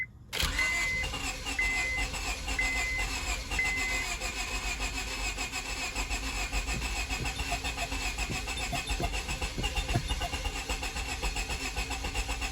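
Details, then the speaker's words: 2002 Honda Civic after sitting a month and a half: steady starter cranking with brief attempts to catch on starting fluid, never idling; turns over now but won't start, owner suspects lost fuel pressure or rat damage to fuel lines. "after a month and a half of sitting here it wants to start but it's not starting so we'll check it but at least it's turning over last time i didn't turn over"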